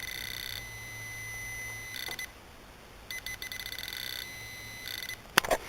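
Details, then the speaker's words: Repaired Garrett Propointer pinpointer: short quiet, dull-edged beeps. Epoxy filled the speaker holes and muffled the tone, making it too quiet. After rework it is still slightly muffled while detecting a titanium ring on the pinky. "and at first it sounded okay, but once the epoxy sort of set down inside of there, it really got muffled, and I wasn't really happy with it. It was too quiet."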